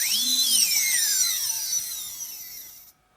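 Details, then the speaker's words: UBAD Inversion DX 250 quadcopter, four T-Motor 2206 2000KV motors, DAL 6040 props, UBAD 20A ESCs, after maxing out at 180; high-pitched whines sweep down together and fade in about three seconds, no grinding or rattle; healthy, responsive motors. "so now with all four running let's hear the sound now we are maxing out at 180 it's really quite testing it sounds just like some jet engine in the murders of really responsive"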